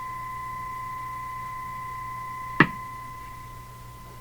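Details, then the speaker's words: Hammarlund HQ-180 receiver in CW/SSB mode, volume raised higher with pop rate unchanged; steady faint whistle with a single sharp pop midway; slow periodic motorboating, cause not yet found. "that's got to be the pop there just very very slow now is that because I turned the volume up let me turn it up higher same same speed yeah same same pop speed"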